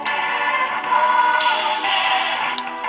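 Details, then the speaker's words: 1936 Philco Model 630B after alignment, on the broadcast band: clear, full music with plenty of sensitivity and no hum, crackle or fading. The tone control now has three positions, and reception is good. "okay we're getting plenty of sensitivity now there's a little more broadcast band great sound"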